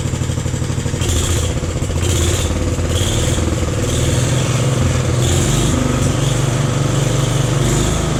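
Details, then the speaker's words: Jacobsen Chief 1000 tractor, Kohler single-cylinder (K241 fuel system work), after draining gas and new fuel line: steady low even chug, no misses or knocks; took a few cranks to get gas flowing, runs smoothly. "all right guys ran pretty good took a few few uh cranks to get the the gas flowing but pretty impressive"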